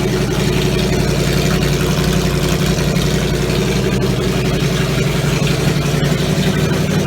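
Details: Triumph Stag V8 on a test bed after full rebuild, front exhaust pipes fitted and carburettors further tweaked; steady deep V8 idle with an even beat, no misfire or hunting, normal idle.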